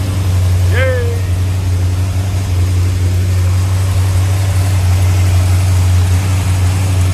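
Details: 1981 Corvette small-block Chevy V8 just after new distributor and cap installed, timing 12 degrees: deep, even idle rumble with steady beat, no misses or stumbles; normal idle.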